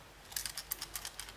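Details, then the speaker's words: Brand-new QUEST brake controller shaken by hand out of the box, buttons held down: light bright clicking rattles in quick bursts from a loose part inside, which fell out on disassembly. "you can hear that something rattles inside no it's not the buttons so i held the buttons down like so and rattled it and it still rattles"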